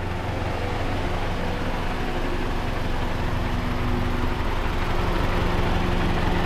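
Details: Mazdaspeed6 with a rebuilt engine, running after its first oil change: a low, steady idle with a faint hunt, which the owner calls a little RPM bouncing at idle. Otherwise smooth; a leaking turret seal is noted separately.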